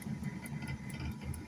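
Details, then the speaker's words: Old air fryer while running: steady low droning hum with a quick, regular light ticking about five times a second; it still cooks, but the cause of the noise is unknown. "barulho esquisito, né? Acho que dá pra você ouvir aí, né?"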